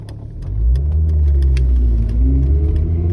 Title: 850R weird noise 2